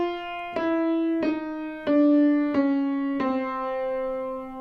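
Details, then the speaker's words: Piano tuning check: run of single notes, middle C wavering in a slow beat versus the steady C sharp; middle C unison strings out of tune. "middle C is out. You hear that compared to Hear the steady state of that C sharp. Compared to the C."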